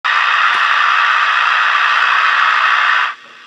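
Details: CB radio receiver before an audio filter is added. A loud, steady rushing hiss with no signal underneath, cut off sharply at the end. Receiver static.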